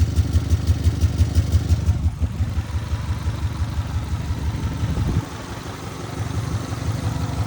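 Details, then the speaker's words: Car that might be bought for about $600, a little low on oil: steady idle with a regular low slapping knock about three times a second over the engine note, source of the slap unclear. "This motor is a little low on oil, so I got to be quick from what it seems. But we might be buying this for 600 bucks. Got a weird slap going"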